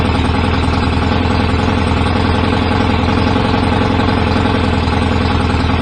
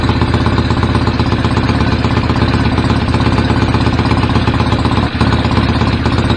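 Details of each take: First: BSA A50 twin motorcycle bought as a non-runner, first start after restoration with newly fitted pattern open exhaust pipes, needed some throttle to fire: loud, rapid, slightly uneven twin beat; owner thinks timing may be a little off, to check with strobe; rough idle. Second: BSA A50 Royal Star twin, bought as a non-runner, first running after restoration with pattern straight-through exhaust pipes: loud, deep, steady idle firing evenly with no knocks or rattles; owner unsure whether the air lever is fully off. Normal idle.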